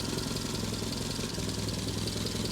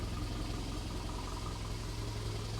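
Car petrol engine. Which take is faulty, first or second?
first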